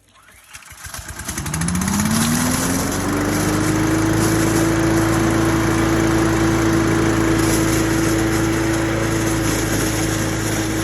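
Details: New Troy-Bilt chipper shredder vacuum, after a start fault was fixed by correctly seating the part that presses the button allowing it to fire: cranks, catches and climbs smoothly to a steady, even drone with no misses; normal running.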